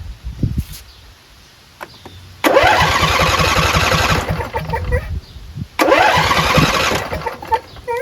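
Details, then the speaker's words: Husqvarna YTH20F42T lawn tractor repowered with a Briggs 21HP V-twin from a John Deere: starter cranks in two bursts of steady chugging but engine never catches; fuel reaches the carburetor, owner suspects a dirty carburetor or a non-clicking bad fuel solenoid. "Fuel is going to the carburetor, which means the carburetor is probably trashed. Carburetor's probably dirty."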